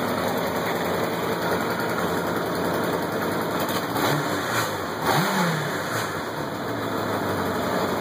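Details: Kawasaki KZ750 LTD motorcycle, stock with saddlebags, idling with a couple of quick revs; good-running inline-four with a small exhaust leak from the headers adding puffing.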